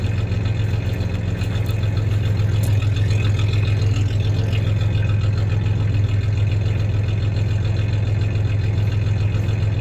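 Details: 1993 Ford Ranger 3.0 V6 idling then a little rev; low steady idle with slightly uneven stumbling beat about three to four times a second, mild misfire; any clanking is loose tie-downs in the bed.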